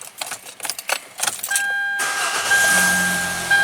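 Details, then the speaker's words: Hyundai Elantra GT with intermittent no-start, after sitting a while, following contact enhancer on the crank sensor connector pins: handling noise, short crank catching at once into a smooth steady idle; clean normal start. "that's good starting no problem now let's do one more time"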